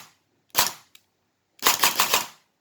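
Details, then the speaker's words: Perun AB++ airsoft gearbox with pre-cocking, 3-round burst: one sharp crack then a rapid three-shot burst, no motor whine before shots, piston held fully back; instant, normal pre-cocked firing. "Now listen to this. It's almost like a GBBR reaction time."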